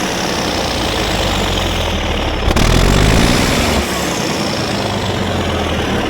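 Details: Ex-military, low-hours Cat D8K with a D342 diesel, after a new turbo and exhaust manifold to fix exhaust leaks, run without a muffler: loud steady idle with a brief throttle blip and no puffing leak. Sealed up; the smoke is shipping oil burning off.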